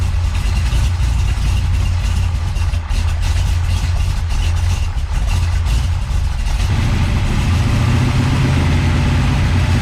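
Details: Big-block Chevy with a big cam and a rebuilt Holley 750 double pumper at base settings, being tuned; deep, lumpy, uneven loping idle that never smooths out; rough idle, carburetor and timing suspected.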